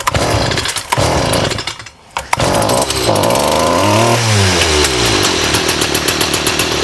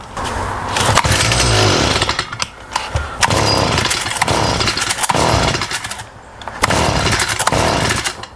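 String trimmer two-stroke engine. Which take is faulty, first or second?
second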